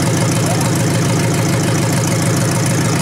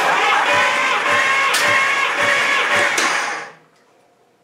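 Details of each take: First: 1953 Hemi V8 revived engine at steady low idle with a light, regular ticking from the old mechanical fuel pump; carburetor working, oil pressure confirmed afterward, normal running. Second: 1953 Hemi V8 cranking about three seconds with a lazy, slightly uneven beat during a compression test; this cylinder had a stuck valve. Compression weak and inconsistent, 60 to 120 across cylinders, rings suspected stuck.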